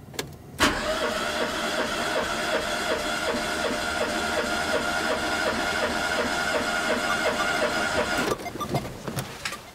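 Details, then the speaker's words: Renault Twingo engine cranking after repair, all cylinders now about 13.5–14 bar compression including previously low cylinder 4; steady even eight-second crank, no stumbles, healthy compression; spark plugs fouled, cylinder 1 plug black. "le problème de compression est résolu tous les cylindres ont le même taux de compression environ 13,5 14 barres ce qui est très bien"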